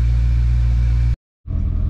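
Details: Mercedes CLK55 AMG supercharged M113K V8 idling after first start with new EV14 550cc injectors and SIKKY thermal gaskets: deep, steady low rumble, even apart from a brief cut; healthy, settled idle.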